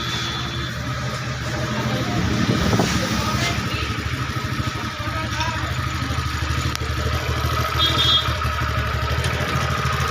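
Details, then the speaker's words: TVS Ntorq scooter after repair of a khatang-khatang knock by refitting properly, idling without silencer: loud unmuffled, even popping beat with no knock or clatter. Normal idle. "Start দিয়াৰ পিছত আৱাজ চাব, কি ধুনীয়া আৱাজ ওলাব। Challenger নোহোৱাকৈ start কৰি দেখাই আছোঁ। এতিয়া স্কুটি আমাৰ ক্লিয়াৰ হৈ গ'ল।"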